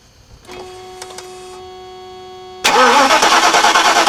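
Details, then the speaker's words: 1991 Mercedes-Benz 420 SEL with a winter-worn 2007 group 49 battery, engine disabled so it only cranks. The starter turns slowly at about three beats per second and slows further as open-circuit voltage drops from 12.65 V toward 12 V, showing a weak battery. "you can tell by the way that the engine cranks over and for how long it cranks over before it starts slowing down"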